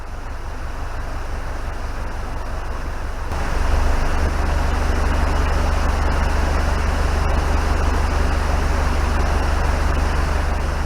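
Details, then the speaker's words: Boat descending in a lock on the River Stort: steady heavy rush of water through leaky lock gates over a low boat-engine throb, louder midway; stern kept away to avoid taking on water. "noise that you can hear is the leaky lock gates. Don't want want to get too close to that, or as it will give the stern more water than it can handle."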